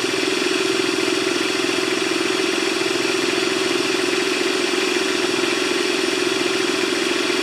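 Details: Honda GX160-powered wheelbarrow air compressor, serviced with fresh oil after the customer suspected a governor fault; steady, even small-engine drone holding one speed, no misses, knocks or surging. It pressurizes, drops to idle, then kicks back on when air is used. Normal running.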